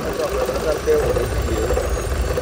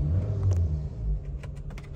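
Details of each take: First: Chevrolet Cruze 1.8 engine at idle: steady hum with a faint, uneven midrange chatter; strange engine noise, source not confirmed. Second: Chevrolet Cruze 1.8 engine idling after the strange noise was repaired: deep, even rumble with no rhythmic knocking or squeal; only normal cam gear noise remains.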